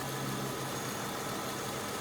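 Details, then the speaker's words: 2002 Kia Sedona, reportedly a Mitsubishi engine, 98,000 miles, after a new power steering pump, belt and idler pulley. Steady, even idle with no ticks, squeals or chirps; the old pump had been noisy on cold starts. "it is nice and quiet right now though it's nice having uh some new stuff on there to make it quiet anyways"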